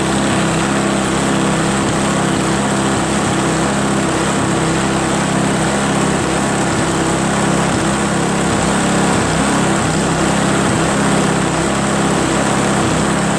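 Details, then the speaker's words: Craftsman 522 4-cycle single-stage snowblower after draining water from tank, cleaning carburetor, flushing and replacing fuel lines and primer hose, shrouds off, choked: small single-cylinder engine holds a steady even buzz over ten seconds, running cleanly. "clean that carb drain the water from the tank replace the fuel lines and now it runs like a chat man works great"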